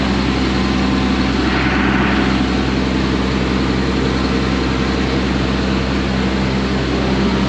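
Steady, even low diesel drone holding constant speed with no misses or knocks; the engine is running smoothly.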